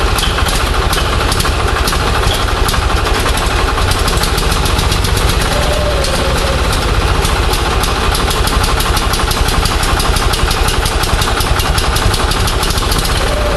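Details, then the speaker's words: Onan 6.5 kW generator run with Arduino Uno ignition pulses firing a Toyota coil-near-plug pack, checked with a strobe. Loud chuffing run with firing pulses stumbling and bunching unevenly: it barely runs, and the timing jumps all over the place. "obviously we still got a timing situation I couldn't get a good number but the timing is jumping all over the place"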